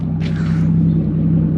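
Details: Toyota Supra with a newly built custom 2.5-inch exhaust: deep, smooth, steady exhaust rumble at idle with no rattles, ticks or leaks; a healthy exhaust.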